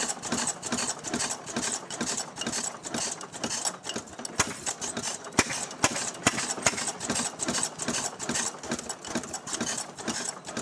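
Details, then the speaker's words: Restored 6hp Fairbanks Morse Model Z engine, set up with a buzzsaw: slow, even clack about twice a second from the spring-loaded intake flapper over a soft chuffing run; firing steadily, normal healthy running. "And you'll hear this little flapper clacking away when the engine's running because it's on a spring. So as every time the engine doesn't create a vacuum, that spring slams the little flap shut and doesn't create any kind of draw."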